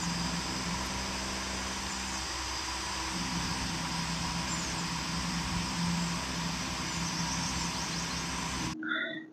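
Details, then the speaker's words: Small cooling fans fitted in an auto rickshaw spinning fast: steady, even airy whir over a low constant hum, no rattles or ticks; running normally. "ఆటోలో పెట్టిన ఫ్యాన్లు చూడండి ఎంత స్పీడ్గా తిరుగుతున్నాయో."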